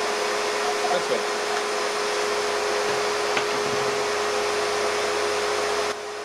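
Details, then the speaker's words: AR383 1900 psi electric pressure washer running normally with the spinning conical turbo nozzle: steady motor hum under a strong hissing spray, with a light rattle from the rotating nozzle. "what was up with this conical shaped horn this is the one that spun around so you can hear it rattle I liked it"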